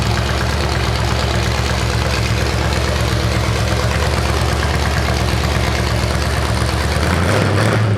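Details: 427 big-block Chevy on an engine run stand at first fire after a long time unrun: deep, even lope with crisp pulses through open headers, quick rev near the end; normal idle and revving.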